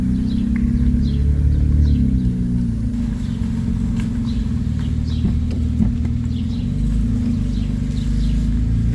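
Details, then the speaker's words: BMW 335i after fitting Megan Racing lowering springs, driven over potholes: a low road rumble with dull knocks as the wheels hit bumps. A tie rod or control arm is suspected; the cause is unidentified. "so I can't really put a finger on it maybe it's a tie rod a control arm but it's even worse now"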